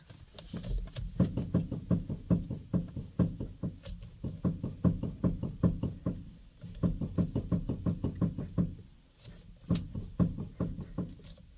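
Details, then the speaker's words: 2014–2018 BMW F15/F16/F85/F86, steering wheel rocked left-right: quick dull knocks from the electric power steering rack's worn thrust bushing, fixed with a thrust repair kit and grease. "So, basically that noise comes from the electronic power steering rack. And apparently there's a bushing, it's called the thrust bushing that is this thing, right?"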